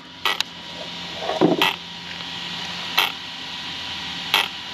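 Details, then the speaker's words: Arrma Big Rock 6S RTR after firmware update, brand-new packs, ESC in low-voltage cutoff: sharp isolated clicks about every 1.5 seconds over a quiet hum; motor clicking at low-voltage cutoff, cause unconfirmed, possibly firmware. "the motor is sitting there clicking on low voltage cut that's funny I've never seen that before"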